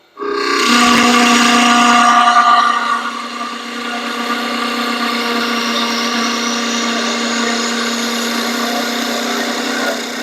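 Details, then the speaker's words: Wood lathe turning a long thin stair spindle while cutting a taper, steady hum with buzzing rattle vibration as the tool cuts; spindle chatter, eliminated by supporting the spindle from behind with equal pressure. "If you hear that that vibration, you can eliminate that. I'll show you how."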